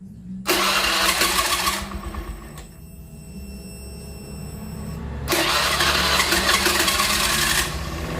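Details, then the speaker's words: Honda Beat FI scooter after repair of no spark and no injector spray (ECU replaced): fires promptly, steady even putter at idle, picks up cleanly on throttle; normal start and idle restored, idle adjustment still pending. "Nah, dia hidup lagi ya teman-teman. Oke, teman-teman bisa dengar sendiri. Ini hidupnya sudah normal lagi."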